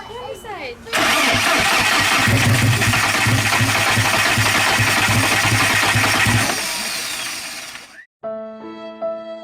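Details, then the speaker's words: Big-turbo VW GTI after a rebuild, on jack stands, first start attempt: steady rapid cranking that never catches. Throttle body codes showed no power, giving a crank-no-start. "day two well yesterday was a fail cranked it and cranked it thought it was gonna go but it didn't"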